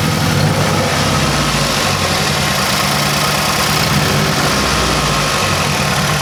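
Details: 2006 Mazdaspeed 6 idling, recorded at the engine bay: loud, lumpy idle with an uneven, stumbling beat and the engine shaking, reeking of fuel; a bad misfire at idle, cause not yet confirmed.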